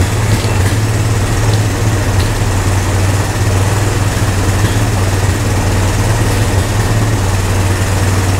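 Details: Old Honda three-wheeler/ATV revived with only fuel after sitting, before first test ride. Steady low even single-cylinder thrum, no knocks, misses or surging; normal running, owner thinks idle a little low.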